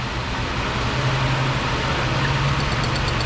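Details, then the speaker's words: 2008 Ford Escape 3.0 V6, about 300k miles, idling after fitting plugs and boots on the easy bank; steady even drone with firm rumble, no misfire stumble, those cylinders now firing: normal idle. "oh yeah i hear that one firing i hear that one firing oh yeah doing much much more better"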